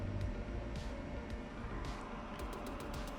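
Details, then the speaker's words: Eberspaecher Hydronic 30, 24 V heater that was blowing its main fuse, error memory showing ignition spark generator interruption, run in diagnostic component test; steady low whir, faint hum, light ticking, fuse not blowing, probably no short: normal component operation. "it is working, and I don't see it blowing the fuse, so probably it doesn't have a short"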